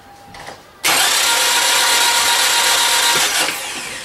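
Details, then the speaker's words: Light, quick starter whir with no compression strokes, spinning about twice normal cranking speed; no compression from open valves, wrong timing, or a broken timing belt or chain. "this is what this is what you're going to hear when you have no compression or open valves or uh your timing's wrong your timing belt broke your timing chain broke or you have bad compression on your engine"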